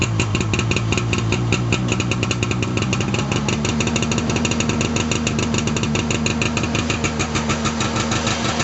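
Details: 1989 Arctic Cat Jag 340 two-stroke snowmobile, all original, cold start after at least 10 months sitting, about -22 °C overnight; rapid burble evening out after a few seconds, holding without stumbling; normal cold idle.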